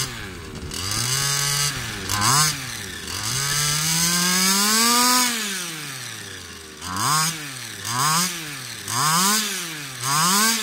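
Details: Customer's Baja small two-stroke RC engine after carb adjustment, ring damage suspected. Revs up and drops back in uneven blips, hanging and stumbling instead of pulling clean; cause unconfirmed: poor running.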